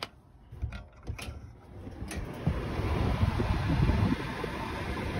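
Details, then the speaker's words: DuoTherm 65017-64 forced-air furnace in a 1982 travel trailer, after replacing the mechanical heat-only thermostat: a few clicks, then the burner lights with a soft, steady roar and creaking of metal heating up; normal burner startup. "and as you can see we've got action that burner is going good and you hear that telltale little when you hear that little creaking noise that's the metal heating up you're in business you're good to go"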